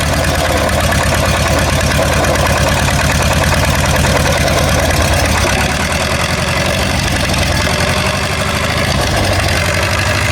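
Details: War Department roustabout crane on an International tractor, unrun for 35 years, started on lantern gas with a stick as belt tensioner, before exhaust and top water hose repairs. Loud, lumpy chugging about three beats a second; rough idle, cause unclear.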